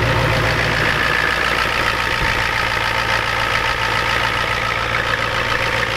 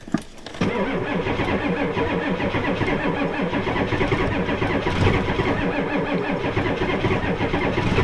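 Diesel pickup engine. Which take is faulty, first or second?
second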